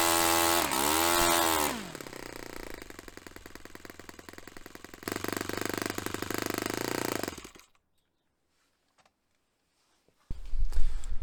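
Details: Restored Saito FA-45 Special model on test stand, 10% nitro fuel, low-speed needle richened; sharp fast-popping idle stumbles and cuts out after a few seconds on the fuel pinch test; lean idle mixture.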